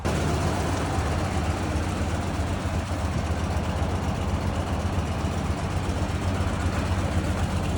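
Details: 1995 Toyota Land Cruiser FZJ80 with a suspected blown head gasket: low, uneven loping idle from a misfire; engine teardown later found a large chip missing from the cylinder 4 piston and badly scored cylinder walls.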